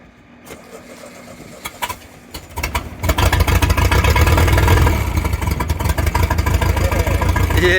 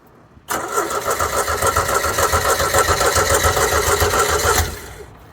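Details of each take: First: Caravelle boat engine, cold start after sitting since last summer, with reverse cable adjusted and fuel primer bulb primed. A few cranking bursts, then it catches and settles into a steady, even low rumble; runs normally. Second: Caravelle boat engine, first start of the year, not run since last summer: about four seconds of rhythmic cranking that never catches; starting fluid planned, primer ball later found as a problem.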